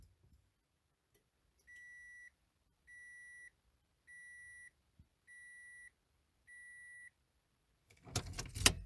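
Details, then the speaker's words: Toyota MR2 AW11 key-in-ignition warning buzzer: five clean high-pitched beeps about half a second each, repeating roughly every second at startup; normal stock buzzer the owner finds harsh and plans to replace with a modern Yaris-style one. "when you start the car up you hear that beep well in the mr2 that sounds like crap"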